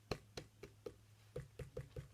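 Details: Skateboard/longboard wheel bearings rattling because the stock spacers are too short: sharp, uneven clicks about four a second over a low hum. The fix is wider 10 mm spacers from inline skates.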